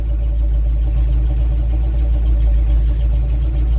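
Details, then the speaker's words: Simca Marmon 4x4 just after a fuel feed fix (fuel lines cleared, loose Jubilee clip fastened), started in gear: steady even low rumble at idle, sounds healthy, though smoke is coming from the battery box with fuel pump wiring damaged. "and that sounds healthy, except there's smoke coming from the battery box."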